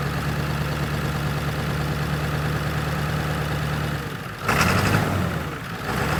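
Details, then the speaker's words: 1997 Ford F350 7.3 diesel as water clears from the fuel system: steady, even low idle with no stumble or miss, then brief louder rush of noise; sounds healthy, front tank still holds water. "oh she's already sounding better at least it doesn't sound broke doesn't sound like it has a mist or anything anymore oo look at that she's cleaning up"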